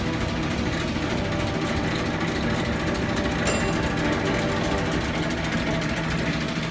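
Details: Bowser Century clockface gas pump pumping antifreeze through nozzle into filler pipe to bottom tank: steady buzzing run with fine even ticking, no grinding or clunks; running smoothly.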